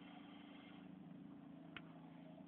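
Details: Vauxhall Astra H at idle while turning steering: soft steady power steering hiss; steering very stiff, pump replaced twice with no improvement; cause not found.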